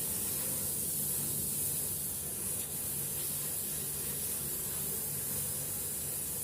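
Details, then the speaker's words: Two-door fridge with a suspected blocked cooling system, run after welding the charging valve so the compressor self-vacuums: a steady hiss of air from the capillary discharge pipe over a low compressor hum. "Oke, unit kulkas sudah hidup dan di sini ada udara yang keluar pada pipa kapiler pembuangan ini."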